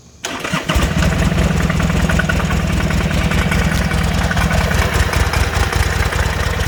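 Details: 2006 Buell Ulysses XB12X, 56,000 miles, just fully serviced (fluids, filters, O2 sensor, intake seals, fuel pump, bearings): starts and settles into lumpy V-twin idle with uneven low knock each beat; origin unknown.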